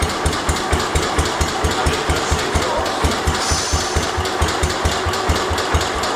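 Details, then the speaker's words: 1972 Homelite T-10 tractor, cold start after fixing the mule drive and changing engine and rear-end oil: steady, even thumping about two beats a second over mechanical background, idling smoothly without misses; starts easily, rear end quieter than before. "See how easy the thing starts? Rear end sounds a lot quieter. I don't hear it as much."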